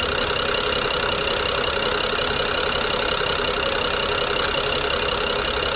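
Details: BMW N55 idling with fast metallic ticking about four per second and grinding over an unsteady idle, suspected Valvetronic gear and eccentric shaft; coils, plugs and VANOS solenoids recently replaced, no change.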